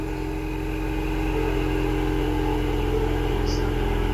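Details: Ford Mustang 3.0 that had a no-crank, no-start problem: steady, even engine note with a smooth low rumble and no knocks or misses; starts and runs normally.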